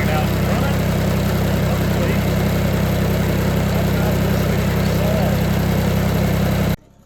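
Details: Kubota BX2360 diesel after fuel filter replacement, fresh fuel and lines bled: even steady chug at idle with no misfires, knocks or hunting, then shuts off cleanly.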